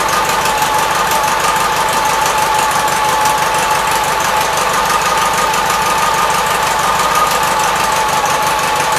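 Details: 1976 Gravely 816 single-cylinder engine chuffing at a fast, even beat with a steady exhaust note and no misses, after a missing fuse and a wire jammed in the fuse holder were found; normal running.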